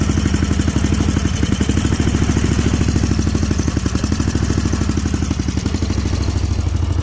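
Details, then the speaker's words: Snapper Pro 48-inch zero-turn mower at idle: steady low thumping with slight unevenness and dips in the beat; bogging. Owner suspects gummed-up carburetors and plans to treat them with Seafoam. "i know why they are down because of the the uh the carburetors i think you're getting box stocked up a little bit because you can hear it now you turn around"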